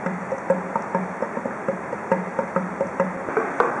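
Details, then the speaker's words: Air conditioner: hollow, woody pops about twice a second as air is sucked back up the outdoor drain hose when water doesn't drain properly. This tends to happen in airtight rooms; the fix is to turn the kitchen exhaust fan to low or off. "この音はエアコンから水がうまく排出されていないことが原因で鳴っていることが多いです"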